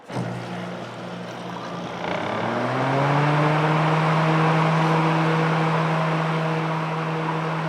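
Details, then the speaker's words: Coleman Mach 8 rooftop AC (model 47224A879) after replacing the broken blower fan wheel (Coleman 1472A1191): fan spins up to a steady, even hum with no rubbing or squeal; repair complete, runs smooth. "that is it we got the blower motor fans squeal or squirrel cage whatever you want to call it we got it replaced really easy fix"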